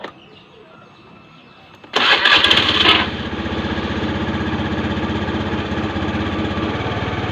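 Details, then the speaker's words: Honda Beat FI scooter with rough, slowly rising and falling idle: starter whirrs, engine catches into fast loud steady idle; high idle from too much air, air screw to be turned down clockwise. "đây là tiếng động cơ lớn anh em, giảm bớt gió đi anh em. , nghĩa là gió to quá Anh ơi, vâng, vặn nhỏ lại đi anh Mas."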